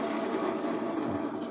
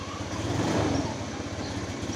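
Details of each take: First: Honda Moove scooter, restarted after being parked, gives a steady starter whir but won't fire, alongside stumbling and weak acceleration; battery was freshly charged, and the kick start also fails. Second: Honda Moove scooter after repair of stumbling, bogging and hard starting blamed on fuel pump pressure dropping; it idles evenly, then revs cleanly three times and drops straight back, no stumble or bog.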